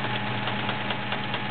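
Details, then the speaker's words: Sears Kenmore Model 1774 sewing machine with a 1.2 amp motor, zigzag stitching: even motor hum with a fine, constant internal rattle and clatter despite everything being oiled; the cause is unknown. "just now the internals of this machine are a little noisy don't know why everything's been oiled it's just everything you know something's they're just a little noisy as you can hear when you [Applause] zigzag"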